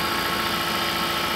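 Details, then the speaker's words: Car cold-started at -40°C: harsh, dry, steady metallic clatter over a rough idle, thickened oil and coolant not yet circulating; sounds like dry metal without oil until it warms up. "barulho estranho Man barulho não seco tá só ferro seco sem óleo"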